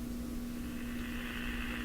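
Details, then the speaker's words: Addison 5-tube radio, back in its cabinet after an attempted hum fix: a constant low hum at steady pitch under faint hiss, audible from 5-6 feet away; source not yet found. "It's humming. It sounds the same as it did just going in and out of the cabinet."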